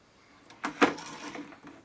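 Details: Record player amplifier with a fault reproduced by tapping, volume turned up: irregular sharp crackles and pops in short bursts over a quiet hiss; dry solder joint.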